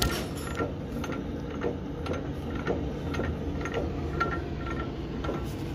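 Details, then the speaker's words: 2016 Freightliner Cascadia, noise on the highway in high gears. With the carrier bearing already replaced, the rear axle still gives a steady metallic knock, about two a second, over low drivetrain rumble: something loose inside, with contaminated fluid and a broken bearing plate. "so uh the sound i was making you can clearly see them that it was like uh something that was loose inside the rear uh end"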